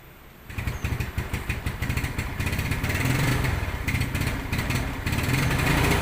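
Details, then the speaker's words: Yamaha Mio Sporty carbureted scooter, free revving with no load: stutters and pops unevenly (brebet) instead of climbing smoothly; misfire caused by water in carburetor from leaking air filter, not the carburetor vacuum diaphragm another shop diagnosed. "oke sudah kita dengarkan Tadi suaranya seperti itu Hai suaranya blebek blebek blebek bedigas kosong"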